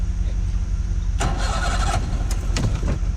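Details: Bass Tracker outboard on its first lake outing, start battery voltage not high, crewed with throttle forward: slow, labored cranking that finally catches into a rough, uneven start; motor reluctant to fire, owner suspects weak battery.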